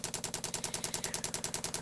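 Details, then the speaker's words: 24 V dosing pump bodged onto a 12 V heater, priming: quick, even ticking about eight a second as the line fills and the bubbles reduce. Pump priming normally. "all right that should fill up and then we should start to get less bubbles"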